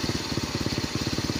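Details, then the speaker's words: Bajaj CT100 single after replacing burnt magneto coil and pulser assembly (before, it died after 10–20 minutes when hot): steady even putter about fourteen pulses a second, no misses; running long, clean stable idle. "Ayan umandar na. So update ko kayo kung gaano katagal itong pag-andar niya. So ayan guys umaandar na siya ng matagal."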